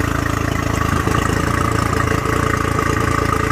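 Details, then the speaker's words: Honda 40/50 HP carbureted outboard with electric choke, first start after sitting 3 months, in neutral with zero throttle: a steady, even putter at about four beats a second with no misses or knocks and water flowing. Normal warm-up idle. "alright here we go that's it you let that electronic choke do its thing"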